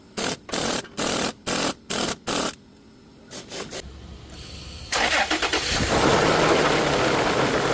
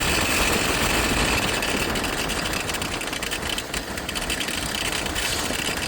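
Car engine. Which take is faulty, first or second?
second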